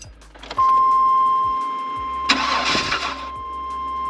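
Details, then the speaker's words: 1999 Chevy Astro van V6, 100k miles, lifted AWD, after replacing distributor with corroded cap for crank-catch-stumble no-start: short crank, sharp catch, settles into steady low idle; normal start after repair. "All right. Back in business. Hopefully don't have to do this again for a long time."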